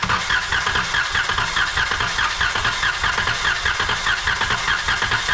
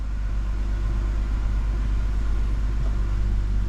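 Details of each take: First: 2012 Chrysler Town and Country with idle shake and cylinder 2 misfire, compression test cranking via starter relay: steady even cranking with no catches; cylinder reading 140 psi versus 80 psi on another; normal cranking. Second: 2012 Chrysler Town and Country van with idle shake, after swapping parts: deep, uneven idle rumble with a periodic lumpy stumble; scanner still shows cylinder 6 misfire.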